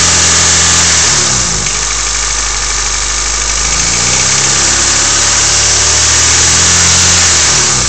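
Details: Honda EF sedan D15 petrol engine idling and revving with a steady light tick about four a second over the engine note; owner unsure whether lifter tick or knock.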